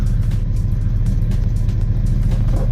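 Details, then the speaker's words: 1991 Eagle Talon (1G DSM) after installing a block-off plate to fix its cold-start idle surge, still warming up: low, even rumble holding a steady speed with no hunting; a smooth, settled idle. "smooth smooth idle. You do have to give it some gas, but that is what the blockoff plate solves, guys, that idle surge for you."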